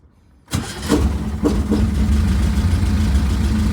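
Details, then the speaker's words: 1967 VW Type 3 Squareback, warmed up, after adjusting idle and mixture screws and synchronizing both carburetors: catches after low chuffs, settles to steady idle around 750-800 rpm without throttle; normal warm idle, needs slight further adjustment. "so the engine's already pretty warmed up and it's idling just around 750 800 give or take so there still needs a little bit more adjustment but at least it's uh it's holding up all right"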